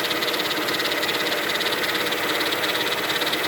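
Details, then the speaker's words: 2000 Mercedes-Benz E320 wagon at idle: quick even ticking about 2.5 per second, light mechanical knock; owner suspects power steering pump given stiff steering, source unconfirmed. "never heard that before seems like the pump like the steering wheel pump because i have a stiff steering problem now"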